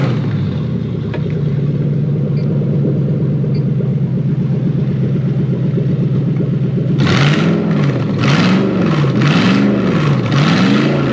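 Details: Hilux 4x4 converted to a Toyota 3UZ V8, after jumping 12 V to the airflow meter and clearing codes: even idle, then quick rev blips that rise and fall cleanly; normal start and rev.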